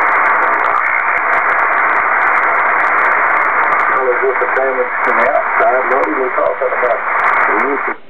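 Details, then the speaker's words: Kenwood TS-2000 on HF with a 125-ft end-fed random wire fed by 450 ladder line, built-in noise reduction off: loud steady hiss swamps the net frequency and weak voices barely come through. Signals need S9 or more to be readable. Noise persists on 12 V battery with house mains off; source unknown. "this is a frequency of a net I check into every night and I can hear the people if they're like 10 DB or 20 DB over s9 if they're much weaker than that there's no chance of hearing them"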